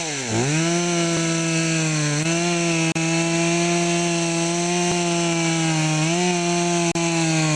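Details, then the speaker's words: Poulan Pro chainsaw after fixing a clogged air filter and sharpening the chain: revs up cleanly to a steady high pitch and holds without bogging; normal running. "so you can see how it works better with the clean filter"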